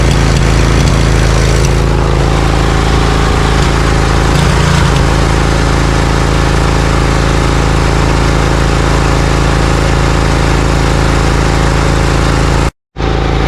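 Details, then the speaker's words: Briggs & Stratton Vanguard 20 HP V-twin on a zero-turn mower, loses power and pops when warm; after compression check (~91 psi) and new plug gapped 0.030–0.035, pulling one plug wire instantly kills it: lumpy, loping idle on one cylinder, problem not solved. "Okay, so we took the spark plug wire off and it instantly died, so that means that we did not solve the problem."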